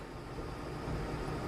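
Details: Lenovo Legion gaming PC under full load in demanding game, GPU hot and capped at 80 degrees: steady even rush of fan air building slightly, no whine, tick or rattle; fans working hard but normal.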